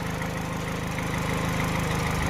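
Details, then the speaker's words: 2012 Peugeot 208 1.4 VTi petrol after repair and adaptive relearn, warming up toward 90°C, bonnet open: steady, even low hum with no misses, knocks or hunting, a healthy normal idle. "But look, it's running spot on. I've closed the bonnet, but you can definitely hear it."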